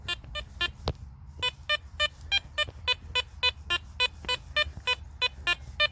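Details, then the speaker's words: Garrett Apex metal detector with sensitivity notched down four: crisp evenly spaced beeps, about two a second, over quiet background; clean target signal with no chatter. "now you're going to get no chatter guys I promise you that you won't get no chatter"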